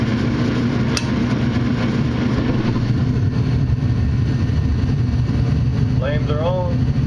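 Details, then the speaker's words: Furnace after a dirty, bad flame sensor was cleaned; a steady, even low hum holds with no cut-out or restart, so the burners stay lit and it runs normally. "So, in this case, that's all the problem was is just had a bad flame sensor."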